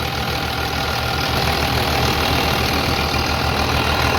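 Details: 3588 tractor, 7,338 hours, freshly rebuilt diesel and tight new hood, with a small line leak to tighten: steady, even clatter at idle with an unbroken rhythm and no odd knocks. Healthy, quiet normal idle.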